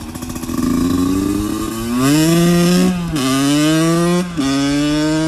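Clean rising revs that drop back between gear changes, even firing and no knocks or rattles: a healthy motorcycle engine pulling well.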